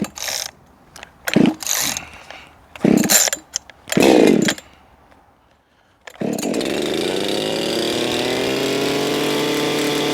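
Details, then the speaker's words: Echo 4910 chainsaw, warmed up after long storage, tuning at wide-open throttle toward 13,500 RPM: screams to a thin, still-climbing ~15,000 RPM pitch with no burble, set way too lean. "Way too lean. That jumped up to 15,000 RPMs. Way too lean for this here saw. Way too lean for most saws."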